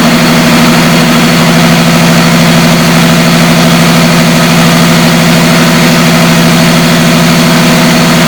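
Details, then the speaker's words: 1973 Chevrolet Camaro V8, long-sitting car revived from crank-no-start, with a fuel filter added between tank and pump: steady, even idle with smooth low burble, no misses, knocks or ticks; idles well, though it later died for unknown reason. "H overall sounds really good though and it idle really well"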